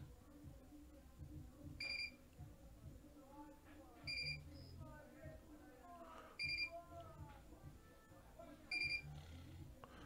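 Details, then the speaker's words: Heimvision HM241/HM241A NVR alarm notification after camera motion detection: sharp high beep bursts repeating about every two seconds over quiet background music. "If you hear that beeping sound in the background, that's the NVR doing its alarm. Its alarm notification."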